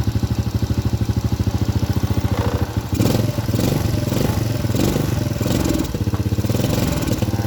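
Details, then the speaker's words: Honda Supra Grand carbureted single with a history of black, fouled spark plugs, during carb adjustment: quick even firing beats, then revs flare and surge slightly unevenly; the mixture is set lean. "Terbalik, Pak. Suaranya tidak tepat. Ya, ini ramping."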